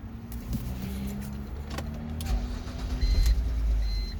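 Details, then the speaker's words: 2007 BMW X3 with rough idle, stalling and codes 2A82/2D06 (air-mass system/sensor), after replacing the mass airflow sensor: steady, even low idle with no hunting, only light clicks; normal idle. "Well, it's most definitely not fluctuating. I've changed the mass airflow and it seems to be steady."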